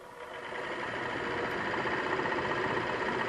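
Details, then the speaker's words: 1958 Plymouth Suburban blower fan motor bench-tested, jumpered straight to battery positive and ground: it spins up to an even, steady whir with no grinding, scraping or ticking, working well. "Okay, so that works. And that actually works pretty good. It's not making a bunch of terrible noises."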